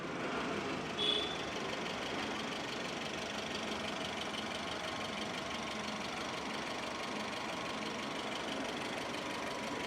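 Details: Maruti Suzuki SX4 ZXI top-end petrol, 2007, single owner, started up to show engine sound: quiet, steady idle with an even hum and no knocks or rattles; engine idling normally.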